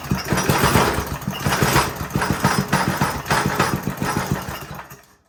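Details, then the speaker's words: Older Briggs & Stratton 5 hp engine on a generator, full choke, starting fluid: uneven sputtering bursts about three a second fade out after five seconds, fires briefly then dies; carburetor problem suspected, possibly low compression. "And that's about all it does. So I suspect it's something carburetor related."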